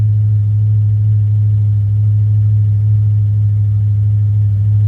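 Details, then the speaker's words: Ford Fairlane number 1 after sitting over a month in a snowbank, just started: deep, smooth, unwavering rumble at about 800 rpm with no misses, ticks or knocks, around 45 psi oil pressure. Normal, healthy idle. "Wow, it's really running smooth too. Well, I can't believe it."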